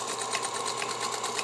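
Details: Singer Featherweight 221 sewing, serviced with new grease, oil, belt, power cord and foot pedal, motor brushes inspected good, new needle: fast, steady, even ticking at constant speed, no knocks, catches or binding; smooth, healthy running.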